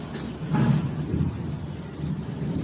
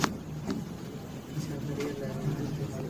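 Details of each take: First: LG top-load washing machine in spin mode: heavy low thumping swelling and fading in uneven surges; drum vibrates heavily and bangs against the cabinet, cause suspected, not confirmed. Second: LG top-load washing machine on spin mode after replacing loose shock absorbers: steady low rumble at high spin, no knocking of the tub against the cabinet; vibration and noise fixed.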